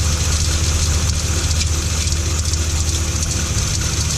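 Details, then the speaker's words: 2012 Ram 1500 5.7L V8 at idle: faint uneven tapping over steady rumble from the accessory drive; belt, idler, tensioner, power steering pump, alternator replaced, fan clutch deleted; stethoscope suggests idler, owner suspects water pump. "i put it on the water pump i'm not a hundred percent exact i'm gonna try to get my buddy up here with a second set of ears to listen to this but if any of you know this noise or have had this noise and can throw me in a direction that'd be great appreciate it"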